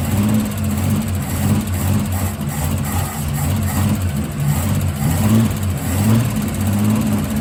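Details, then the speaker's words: Holden Torana carburetted V8-type engine after manifold refit, on a test drive: burble swells and sags as revs rise with a flat spot; it launches then peters out, suspected lean up top, owner plans to adjust timing and fit bigger jets. "So I just took it for a spin. It does have a bit of a flat spot. I need to adjust the timing, and I tell you what, it's opened this thing right up, but I think I need some bigger jets in it, because it's it launches and then sort of peters out, I guess."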